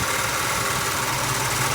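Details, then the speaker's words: Restored 1966 Ford Mustang convertible V8 idling after carb priming, new power steering belt fitted: steady whirring, rough hiss from a worn power steering pump bearing, pump full of fluid. "seems pretty good except you can hear that bearing noise"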